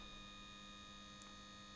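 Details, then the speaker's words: Returned battery-powered device whose output does not spin: steady, fairly quiet electric hum with no rhythm, the motor running but broken gear teeth keep the output from turning. "can you hear it's not spinning let's see if is it actually working listen to the noise is this spinning no"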